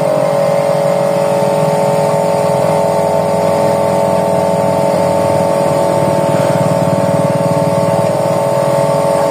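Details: Electric jet cleaner (pressure washer) reported as not starting and not spraying, final test with the tap on and hose attached before returning it to the customer. A loud steady motor hum with a firm pump pulse and spray hiss holds even; it runs properly.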